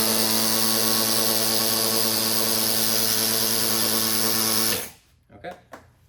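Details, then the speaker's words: Vacuum pump after mechanism replacement, screw just past finger tight and not over torqued, before a one-hour break-in: smooth, even, steady whir for about five seconds with no knocks or grinding, then winds down; runs freely. "sounds pretty good it's um basically more than fingertight so we can go ahead and put this on we're going to run it for 1 hour and break it"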